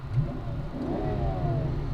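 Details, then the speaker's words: Mercedes-Benz S600 V12 at 167,000 miles after full mechanical overhaul and tires inflated from 28 to 38 PSI, no warning lights: deep even hum with no stumble, knock or tick; runs smooth and healthy. "It is so smooth. I mean, for 167,000 miles, this thing drives really, really nicely."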